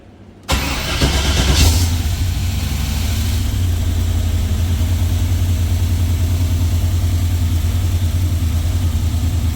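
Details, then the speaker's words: Jeep with rebuilt LS V8 (new forged internals, higher compression, new cam), first fire after rebuild, cold, 50 psi oil pressure, fan off: steady slightly lumpy idle with no knocks or ticks; healthy. "Sounds much better. First fire was great. We're going to let it cycle."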